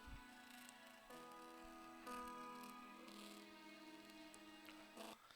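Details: JBL Go 2 Bluetooth speaker playing a song with a rough, papery crackle and buzz on louder notes; the crackling comes from the speaker driver itself, a torn cone surround, fixed with double-sided tape.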